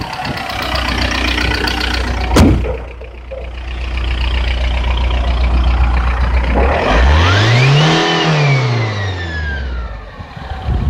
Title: AGR tdi turbo whine or what?